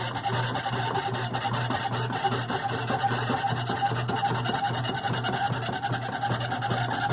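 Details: GE washer, model WDRR2500K3WW, right after filling as agitation begins: loud rough rasping with a ratcheting beat about 2.5 per second, usually clearing after the first few minutes; source not yet identified.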